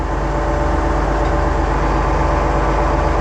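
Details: Oliver 1755 diesel tractor after PTO valve replacement: steady, even idle with a low, constant rumble and no knocks or slipping noise; PTO now engages and stays on, the valve was the fault.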